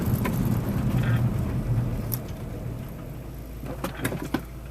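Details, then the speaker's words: Van after rear brake pad replacement on a test drive; previous scraping when braking was from worn-down rear pads; steady low road rumble, no scraping or grinding under braking: normal quiet braking. "And I think you could tell from that that scraping noise is gone, which was, as per the video, the fact that the brake pads had worn right down."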